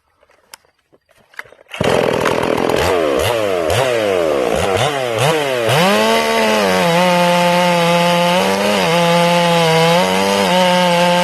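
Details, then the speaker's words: Ported Stihl MS461 chainsaw with a rev-limited coil, first cuts while checking the carb tune: bogs and recovers through the cut, then a high steady scream with four-stroke burble entering and exiting the wood; tune is right. "i'm gonna hit the wood okay you'll hear it four stroking when it hits the wood i'm gonna pull up a little bit you see me doing that when i'm testing saws i'm listening for instant four stroking okay so let's do"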